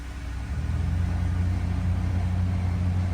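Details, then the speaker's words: 2014 Toyota Venza with the heat on: a deep, steady hum swells as the fan switches on, then holds with a slight throb, and vibration can be felt. The blower motor is suspected as failing and is to be replaced. "and I can physically feel it vibrating so yeah I do believe it's the blower motor"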